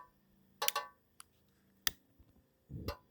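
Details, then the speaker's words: Portable butane camping griddle burner: a few sharp igniter snaps, then a soft low whoosh as the flame catches, showing normal ignition. "And then you'll hear it. It'll be like a whoo. And that's how you know it's lit, and you can just feel it."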